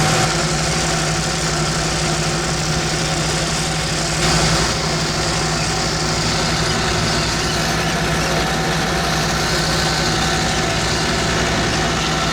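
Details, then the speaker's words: Old tractor without doors, in-cab, mowing a heavy unfertilised hay crop, slowed down and revs raised: steady low drone with constant hum, no clear bogging heard; mower labouring, owner suspects blades need changing. "Mower's struggling a bit through there. Now part of that is because it's probably because the blades might need a changing a little bit."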